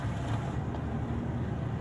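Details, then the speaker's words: Japanese-market Suzuki Swift automatic idling in D after the faulty cylinder-4 engine coil was replaced. Low, steady rumble with no stumbles; the car is stable with no misfire. "कोई इस time गाड़ी में miss firing नहीं है। तो गाड़ी को करते हैं जी डी पे, माशाल्लाह बिल्कुल गाड़ी स्टेबल है।"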